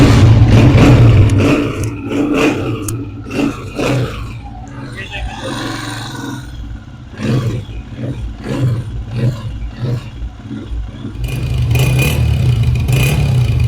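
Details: Honda CG125 single-cylinder after top-end repair addressing a tik-tik noise, including correctly fitted springs: runs steady, blips up and settles evenly with no tapping; healthy running.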